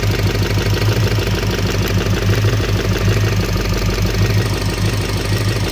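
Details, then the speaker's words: 1968 Chevelle wagon at idle: light, quick electrical-sounding tick on one side over the running engine; owner suspects a dropped spark plug with a wrong gap, not confirmed. "I don't know if you guys can hear that, but I hear a ticking down here. Like an electrical tick. I'm hearing an electrical tick on this side."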